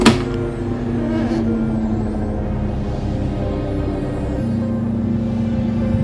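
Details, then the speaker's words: Hatari electric fan running with a loud, rough droning hum like a motorcycle engine; cause is worn motor bushings and shaft, to be fixed by replacing bushings and shaft after removing the motor assembly. "มือหมุนที่ดังเสน่ห์ก็เป็นที่บูธแกนเดี๋ยวเราจะมาเปลี่ยนบูทแกนนะครับ"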